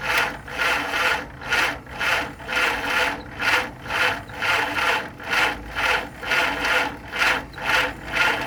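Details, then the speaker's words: 1948 Willys CJ2A Jeep engine after decades sitting, fresh oil, timing set at top dead center: slow even starter chugging, no firing, cranks but won't start; distributor installation suspected after trying many wiring configurations. "It's trying. So I've put this thing together almost every which way as far as the wires configuration and whatnot, and it just won't seem to really run right."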